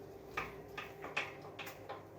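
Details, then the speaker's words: EliteWheels Drive 50D carbon wheel with ceramic bearings, spun freely by hand after a ride: hollow clunks about every 0.4 s from the hub, owner suspects the bearing is loose in the hub; loose hub bearing. "clunking it almost feels like the bearing is just loose and kind of clunking around inside the hub"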